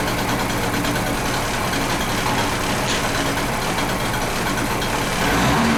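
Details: Di Blasi folding moped two-stroke after wiring repair and a carburettor clean, kick-started on choke. A busy, buzzing note holds steady under heavy background clatter, the engine running evenly and healthily.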